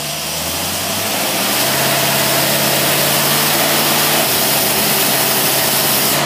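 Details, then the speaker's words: Holley 4779 race carburetor tested on a running engine under medium-to-heavy load: a deep, even V8 roar pulling hard, pitch steady then easing slightly. Strong and smooth, a healthy engine. "okay now we got a load on it what do you come both you got medium heavy heavy loads"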